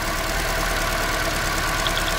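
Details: Rough idle with a fast, sharp snapping tick in the last second from a lifted ignition coil on a shaking 2010 Toyota Corolla; misfire stays on cylinder 2 after swapping coils, so coil ruled out, spark plug next.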